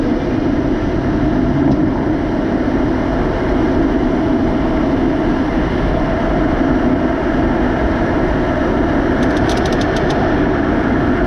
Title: Model 3 grinding noise